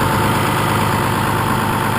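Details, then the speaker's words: First-gen truck with 6.2 liter 24-valve VE-injected Cummins, 4-inch exhaust with muffler, cold, recorded in a pasture away from road noise; loud steady diesel clatter idling slightly high, owner guesses around 1,000 rpm without a tachometer. "I don't know how well you can hear me talking over the motor, but it's pretty loud and it's idling just a little bit high."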